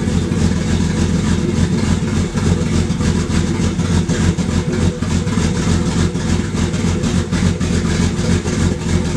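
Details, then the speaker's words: Barra-swapped Mustang drift car idling really rough and lumpy, stumbling about three times a second; air-fuel ratios pegged completely lean, over 17; misfire with one cylinder dead from a faulty injector and low fuel pressure. "all I know is it fires up running really really rough as you can hear uh the afrs are pegged completely lean so we are over 17"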